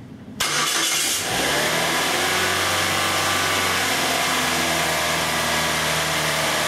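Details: 2004 Saturn Ion 2.2 L Ecotec after replacing ignition module (earlier P0300 misfire, no spark from one coil, severe power loss): cranks and catches at once, settles into steady even idle with no misfire.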